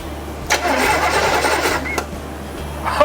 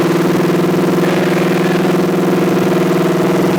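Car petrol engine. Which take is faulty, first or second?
second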